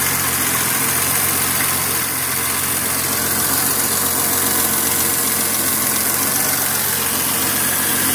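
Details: BMW E23 745i idling: constant hissy buzz high above the low idle beat from the engine compartment; source not identified.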